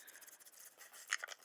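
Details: Brayer rolling paint over a large sheet of brown packing paper, yellow then green: scratchy rolling rub with short, high squeaks near the end of each pass; the brayer squeaks as it rolls.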